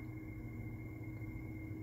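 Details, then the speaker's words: Kenmore window air conditioner fan motor running on low: steady low hum with a thin, constant whine on top from worn-out fan motor bearings, louder than the fan itself. "listen to that you can't even hear that fan you can hear the worn out bearings in it over the fan itself so"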